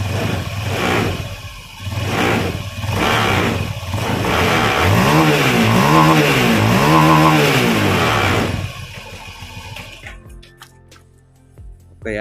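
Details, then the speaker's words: Honda Scoopy (K44) scooter with CVT components removed, checking engine alone: several smooth throttle blips with even note and no knocking; engine and crank area normal, fault lies in CVT, normal engine revving. "the engine is already about to roar, Kang Bu, this means that the condition of the engine is normal, yes, for the producer."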